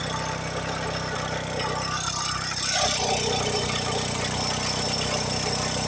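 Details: PT Cruiser engine at idle: an uneven metallic clatter and a thin squeal, with idle rpm jumping. The owner concludes something broke internally and an engine rebuild is needed; the exact cause is unconfirmed.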